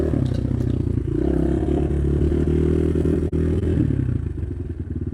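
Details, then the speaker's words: Cheap Amazon 250cc single-cylinder dirt bike idles evenly with clean steady firing and no stumble; background popping is an audio recording fault, not the bike. "You're wondering, the popping noise in the background is not the [music] bike popping or stuttering. It's actually an issue with the audio."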